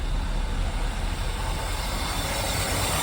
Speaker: yeah we'll have to set it up it's obviously not running you it could be better